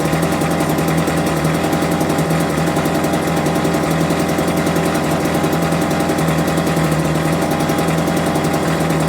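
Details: Homelite UT08572 small two-stroke, just restored and not yet warmed up, gives a fast, buzzy putter that sags, lazy and uneven; idle set too low, and it had died on its own.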